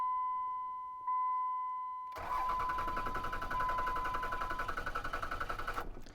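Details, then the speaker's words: Ram 2500 Cummins diesel nearing one million miles: a steady chime, then the starter cranks in even pulses about four a second but it never fires; broke down just under 200 miles from home. "just cranks and cranks and cranks and cranks"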